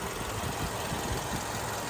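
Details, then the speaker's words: Volkswagen Golf 6 2008, 1.6 MPI petrol, 178,000 km, manual gearbox: engine idles quietly and evenly, no smoke, no misfire, starts easily cold or warm; healthy idle. "Мотор працює тихо рівно не димить не троїть заводиться гарно як на холодну так і на"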